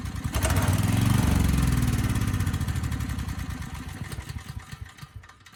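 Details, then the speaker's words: Briggs & Stratton Storm Responder generator (engine 21T212-0116-G1), previously stuck at TDC with fuel-flooded oil, final test after repair: single-cylinder engine started right up with a steady low thump and sounded good, though engine speed was slightly slow. "all right this thing started right up and it sounded pretty good"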